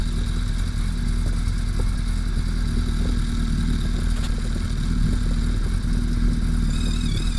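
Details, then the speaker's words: Gen 1/Gen 2 Suzuki Hayabusa, running with fan on, counterbalancer externally adjusted: steady idle with dry metallic clatter as the balance shaft is turned too far and rattles; whine heard the other way, set between the two. "So you're going to hear the engine whine when I turn this balance shaft too far. Don't worry, you're not going to hurt anything. You hear it start to rattle."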